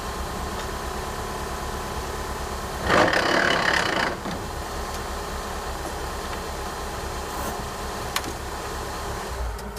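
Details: 2003 PT Cruiser GT manual transmission, weeks after a hub bearing replacement: steady idle then about a second of harsh grinding from the transmission as the clutch is released; car wouldn't accelerate after shifting into 2nd.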